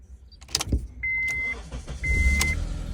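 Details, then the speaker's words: 2002-2006 Honda CR-V after ignition lock cylinder replacement, with the key placed at the old immobilizer: door chime beeps over a brief crank, then the engine catches and settles into a low steady run; normal start. "and it starts. Car's on. So that's the little trick."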